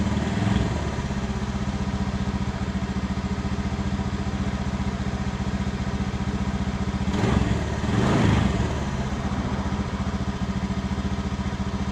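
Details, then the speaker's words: Honda Beat FI scooter with new battery, before plug change: idles with an uneven, stumbling beat and bogs on each throttle blip, unable to rev past idle; a new spark plug is fitted next: misfire, spark plug suspected. "kalau kita gas dia brebet seperti tidak bisa ya tidak bisa diangkat gas ya teman-teman ya kita coba ganti untuk businya apakah bisa sembuh untuk penyakitnya atau bagaimana ya"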